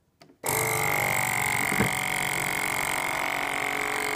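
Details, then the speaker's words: FoodSaver V2490 that vacuums but never finishes; line intercepted straight from the pump into a canister to test the pump alone; firm hum with whine building louder and higher as vacuum is drawn, pump works properly. "now I was never getting to this stage where the pump is getting louder and louder and higher and higher pitched"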